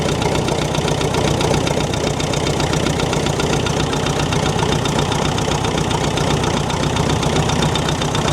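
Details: David Brown diesel tractor, just started after sitting 10 years on low battery, oil pressure present: rough idle with steady fast tapping about four a second over the clatter; ticking top end, cause suspected, not confirmed.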